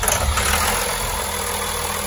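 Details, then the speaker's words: 2004 Blue Bird SC2000 bus, six-cylinder diesel, first start after sitting and being towed in: catches and settles into a steady, even idle with low rumble, no knocks or misses, not smoking; running healthy. "Oh, that sounds lovely. Oh, I love the sound of a six-cylinder diesel. It just makes all the right noises."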